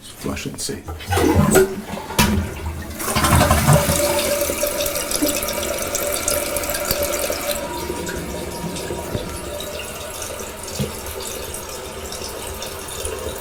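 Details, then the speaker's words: Toilet whose fill valve caused water hammer; cleaning the valve only lessened it. After a water hammer arrestor was installed on the supply, the flush rush and then a steady refill hiss come with no bangs or knocks in the pipes, which is fixed. "much better well no more banging I'll make sure there's no leaks"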